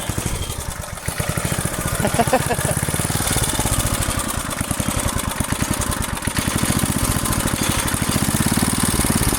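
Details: Roughly 30-year-old Briggs & Stratton single-cylinder rototiller engine, revived after freeing stuck cables, choke and throttle: quick, steady, even firing with no misses or surging; normal running.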